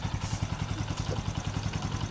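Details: Bajaj CT 125 motorcycle after engine overhaul and cleaning a filter clogged as if run on diesel: steady even single-cylinder thump with clean pickup on revving, no misses or knocks; quiet, no more smoke, normal idle and revving.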